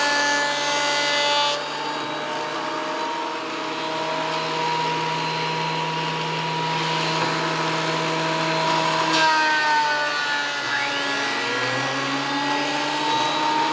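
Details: WEN PL1326 15-amp 13-inch spiral benchtop thickness planer, after repair of misuse damage (replacement knives and bevel gear set used), planing a bigger board over several passes: steady whine with an even cutting hiss, no chatter or knocking; cutting cleanly, within 0.002 in thickness.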